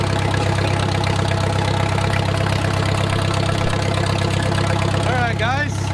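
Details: Wartime H tractor revived after 20+ years of sitting: slowed idle building heat, a smooth, even low rumble with no knocks or ticks. A typical oil leak is burning off.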